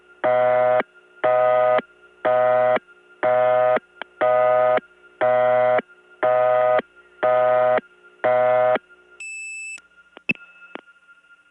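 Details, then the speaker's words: 1979 Gainesville GA step tandem, 92 99 dialed, probably reaching Dahlonega 864. Buzzy tone pulsing about once a second for nine even bursts: a native St. Thomas-type busy signal, a distinctive distorted tone. "native st. Thomas type busy signal which by the way st. Thomas itself didn't have because there they replaced it but there's a real one here and it really is a unique tone"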